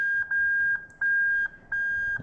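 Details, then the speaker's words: Lexus IS200 with 1995-96 LS400 1UZ-FE non-VVT-i engine swap, J160 gearbox, new plug-and-play harness: reverse light circuit bridged, dash gives clean high-pitched beeps in irregular pattern; reverse warning circuit working as expected. "So all I'm going to do is bridge the reverse light and you are going to hear the usual beep from the dash."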